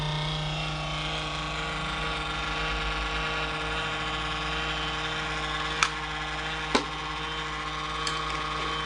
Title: The CoolCold Has Loud Vibration Noises